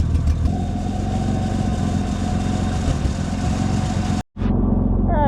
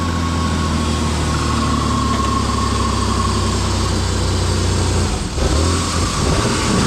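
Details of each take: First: Ford Explorer (2000 or 1995) after an oil-leak fix, with mud and water having gone into the engine: a steady idle with a sharp, raspy puffing in time with the firing; a pretty bad exhaust leak. It stalls randomly but is starting to smooth out. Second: Ford Explorer (2000 or 1995) with a bad oil pressure sending unit, after a found-unplugged fault was fixed: the engine climbs and falls through repeated throttle blips without stumbling; it now revs cleanly and evenly.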